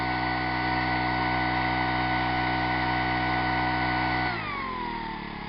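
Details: 25 cc four-stroke leaf blower engine on a synthetic fuel formula of about 80% natural gasoline, upper 70s–low 80s°F; steady high buzz at full throttle for about four seconds, then smooth wind-down, a healthy full-throttle run.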